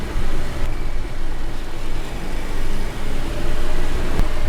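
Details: After the wheel and disc contact faces were cleaned with brake cleaner and the wheel refitted with nuts tightened in a star pattern, there is a steady low road and engine rumble while driving and no clicking. The wheel now runs quietly and normally.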